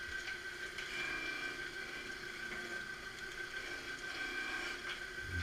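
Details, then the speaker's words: Surface grinder with coolant pump on both outlets, head lowered by manual slow down-feed a little each pass: steady high whine with even light hiss as the wheel cuts normally. "As it lowers the grinding head, you hear it start to do the grinding."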